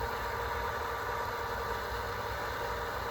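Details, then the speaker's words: Well pump filling a drained, waterlogged holding tank after priming, line to house kept off, gauge not yet reading: quiet steady hum with even faint whir, no surging or chatter, normal running. "But, I'm excited. It's sounding like it's filling the tank up."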